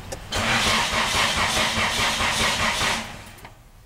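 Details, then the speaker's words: Nissan Tsuru that cranks but won't start: starter churns steadily at about two and a half turns a second, nothing catches and no fuel pump hum; diagnosis found no power reaching the fuel pump, a simple current fault. "efectivamente la bomba de gasolina no se escucha trabajar"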